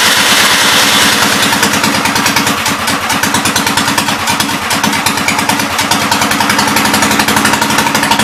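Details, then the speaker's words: 1944 L tractor cranked with the throttle set above idle: ragged, fast popping about two per second, spitting back through the intake; the owner suspects a lean condition, and something (oil or water) is pumping up through it. "Back through the intake there, so I was a little bit scared to give her any carb cleaner, but it could have popped back just because it was lean."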